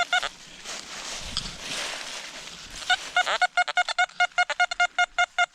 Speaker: whatever it is it's almost overloading the detector you can hear it trying to overload the detector